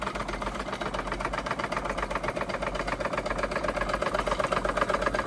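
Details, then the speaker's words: Wilesco D32 toy steam engine, restored, running for the first time: crisp, even chuffing about four beats a second with light mechanical clatter and a kettle-like hiss, condensate rising in the chimney, water pump working; runs well. "Sounds like a kettle. You can hear that condensation coming up through the pipe in the chimney is."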